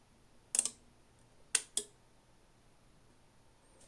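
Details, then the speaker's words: Kenwood PWR18-2TP power supply, case open, powered on, complaint relays clicking at power-on with no display: two relays click together in sharp dry quick pairs over quiet background; cause not yet found. "Now I can clearly hear that these 2 relays are clicking together."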